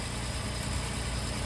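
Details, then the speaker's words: 1947 Plymouth Special Deluxe convertible with twin carbs after balancing throttle openings: steady, even low idle with no misses or hunting, matching vacuum readings. "so I'd say we're pretty close now I don't know if the throttle openings are really timed together exactly but they're pretty good"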